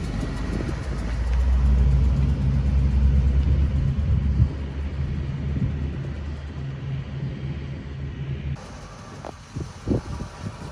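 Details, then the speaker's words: 1978 Pontiac Trans Am, Z-code 400 V8, automatic, 69,600 original miles: lumpy idle with a fast puffing tick from a small exhaust leak at the manifold on one side; the other side is fine. "the one thing that i wouldn't say that it needs but it has is there's a little exhaust leak on this side coming from the manifold other side is fine but you'll hear that when we fire it up which we will do right about now"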